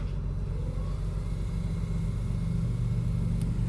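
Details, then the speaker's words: BMW petrol engine idling with the PCV system removed, the intake ports of three broken hoses plugged and a breather filter fitted; deep lumpy rumble rising and falling unevenly, owner believes it is running on three cylinders; rough idle awaiting a new PCV system. "it runs like absolute garbage absolute garbage I'm pretty positive because it's so pissed off at me right now it's only running on three cylinders and I'm going to show you exactly what that sounds like"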